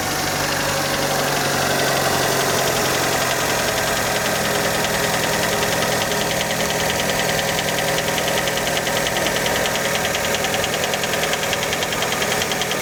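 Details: Fiat Panda cold idle just after start: steady light tapping over the engine, roughly two knocks a second; cold-start knock, cause not pinned down, many suspect piston skirt.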